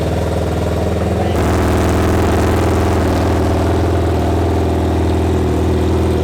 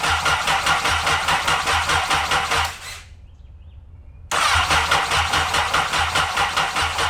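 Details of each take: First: Freshly installed replacement engine, 2014 Honda CBR1000RR in a Honda N600 micro car (first engine was bad), first start: cranks about a second, catches and settles into a steady, even, loud run through the open header, no knocks or misses; sounds okay. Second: Honda N600 with new CBR1000RR engine, after replacing three bad fuses and priming fuel pump: two brisk even cranking bursts of about three seconds, no firing; turns over fine but no spark, no ignition.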